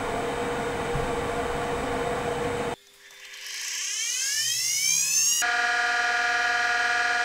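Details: Kent KGS-200 surface grinder, newly installed and wired, motors run through a 5 horsepower converter. Motor spins up with a rising whine, then both units settle into a steady, even hum with no rubbing or rattle: normal running.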